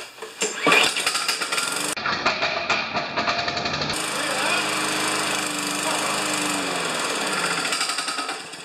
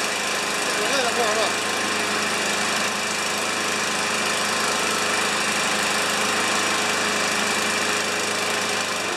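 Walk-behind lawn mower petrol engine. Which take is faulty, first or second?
first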